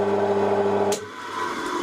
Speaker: No capacitor, it still does the same thing. That's weird. So it starts and stays in the start winding, not spinning fast enough for the switch to disengage.